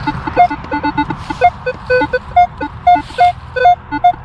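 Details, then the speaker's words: Metal detector on an early-1800s farm near the house and the road: irregular chattering beeps jumping between several pitches with no target pattern. Metal detector interference chatter. "Oh, and metal detecting this area, it's so noisy. This is where the Manticore would come in. I mean, just, it's tough."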